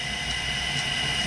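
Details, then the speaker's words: Brook Motors Gryphon motor on an Atlas 10 lathe after rewiring so forward/reverse switch works correctly, running forward then reverse: steady even whir with faint high whine, no knocks or rubbing; normal motor run. "Doesn't that sound like a lovely little lathe? And there it goes backwards."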